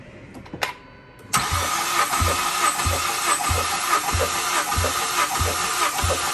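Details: Ford Focus ST, compression test with all plugs out, both pedals held down to crank: steady even cranking a bit over one pulse per second, no dragging; cylinders four, three and two read about 149–150 psi, cylinder one later zero.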